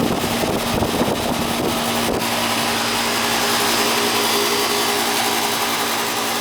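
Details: AC outdoor condenser unit after replacing a bad capacitor: a brief clatter at start, then a steady compressor hum under a constant fan whoosh; compressor now fires up and runs normally.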